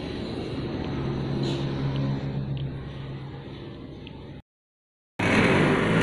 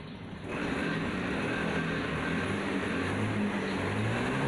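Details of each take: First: Honda Scoopy fuel-injected scooter: engine starts but on snap throttle revs hang flat instead of climbing, bogging; fault attributed to throttle position sensor. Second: Honda Scoopy fuel-injected scooter that bogged on sudden throttle, after the fix of wedging with a piece of old fuel hose. It holds a steady, even note with no stumble when blipped; the bogging is gone.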